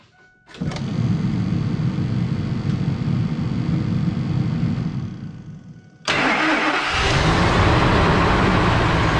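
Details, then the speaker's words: 1999 Ford F250 Triton 6.8 V10 first start after re-tapping a blown-out spark plug hole with a new coil fitted: cranks, catches, idles shaky and lumpy, cuts out and restarts. Suspected misfire from broken injector connector tabs; cause unconfirmed. "success she's a little shaky shaky but i have it"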